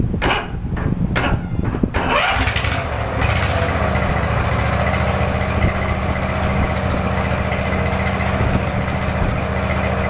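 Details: Field-find lawn mower engine under test after fuel is added to the tank, to see if it draws fuel from it; carburetor had two-stroke fuel, earlier smoke smelled of 30-weight oil. A few pulls, then it fires and settles into a steady, even run without misses or surging.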